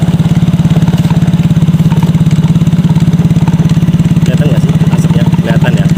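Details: Yamaha Mio GT scooter, kick-started right after engine block replacement, smoking heavily at first: small single settles into steady, even idle about three and a half beats a second, no knock or misfire.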